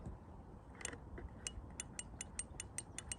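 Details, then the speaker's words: Land Rover Freelander 1 rear door, handle squeezed: a dozen light sharp clicks of the handle pressing the microswitch, but the door doesn't open and the window doesn't lower; microswitch failed or too resistive, fix is replacing it. "don't know whether you can hear that but as I'm squeezing it's a tiny little dinky noise dink dink then that shows that the handle is pushing on the mic switch but the mic switch isn't activating being recognized not lowering the window"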